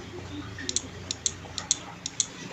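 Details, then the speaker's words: PORTO 160A inverter MMA welder that turned on then off, after replacing a 100 kΩ resistor and PC817 optocoupler: relay heard directly, sharp crisp paired clicks about every half second; relay pulling in normally. "directly on the relay, yes , friends, if we enter there is a sound,"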